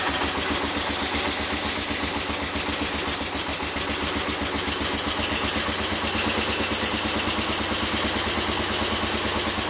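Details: Massey Ferguson 14 garden tractor with single-cylinder Kohler K321 engine running steadily after carburetor repair, with an even, rapid exhaust beat and no more backfires or pops; choke and throttle working.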